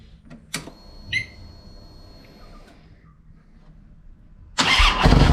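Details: 2007 Harley-Davidson Ultra Classic V-twin after Screamin' Eagle compensator upgrade for a warm/hot starting issue: a few clicks, then prompt firing into a strong even run with no starter clatter; normal start.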